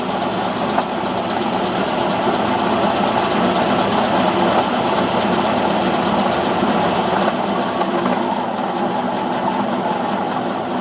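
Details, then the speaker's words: Cold engine that won't idle cold, held on the throttle at about 1600 rpm; rough, uneven knocking through the exhaust note, with 150 on the cylinder head and oil temperature not yet risen. "Even at 1600, it's knocking. Got 150 on the cylinder head. Oil temp has not moved."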